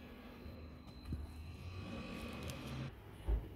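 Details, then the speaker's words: French door fridge compressor restarted 5 minutes after being stood upright from transport on its side; faint steady low hum with a few soft clicks, no knocking; runs normally and cools to minus 10 degrees. "So let's turn it back on. I'll see if the phone picks up the motor noise."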